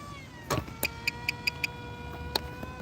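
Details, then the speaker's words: Electric motor of a giant RC plane on 3S, after it was overheating and running warm after 30 seconds of flight: steady smooth high whine with even overtones, easing and winding down; sounds much more healthy. "Hold up. All right. there. That sounds much more healthy."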